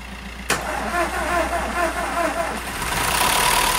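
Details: VW Golf 1.4 TSI petrol, after timing chain replacement following a snapped tensioner that bent valves and a top-end rebuild: brief crank, catches at once, smooth steady idle without rattle; normal engine start.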